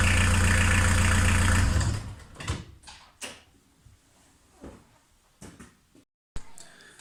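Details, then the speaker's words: VW T3 Vanagon 1.9 diesel fitted with a 1.6 injector pump, engine warm after just being driven, quick start: even, steady diesel clatter with a deep smooth beat before shutdown, no misses or knocks; idles healthy. "That said, the engine's warm there now, so just drove it, but I'll give it a quick start, and you can just, at least you can hear it run."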